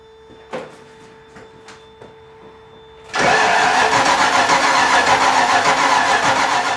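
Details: 5.0-litre V8 swapped Miata, first start with fuel pump on: faint clicking, then loud rough crank catching unevenly without settling into a run; hard start from ignition timing about a tooth off.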